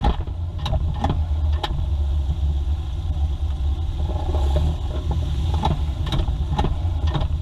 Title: mazda 2 knocking sound